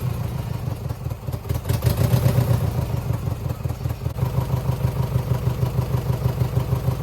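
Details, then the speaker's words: 2009 Subaru Forester X NA EJ253, remanufactured OEM heads, third start after engine install: rough stumbling idle missing beats, rising briefly with a throttle blip; single-cylinder miss; owner suspects cylinder 2 from cracked head or water in block. "I mean, we definitely still have a miss, but it's not smoking. I got coolant in it."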